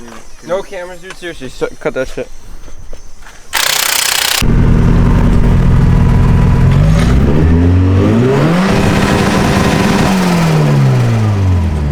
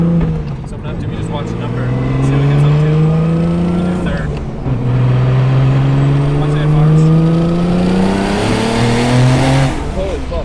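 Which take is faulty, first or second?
second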